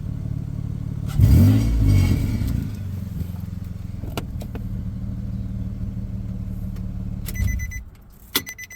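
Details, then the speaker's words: Nissan Xterra (claimed 261 hp) given a couple of throttle snaps: loud raspy roar settling to a puffing idle, exhaust leak around the muffler, before repair of the exhaust. "let's give it a couple of throttle snaps so we could hear that whole 200 61 horsepower exhaust leak yeah that's garbage"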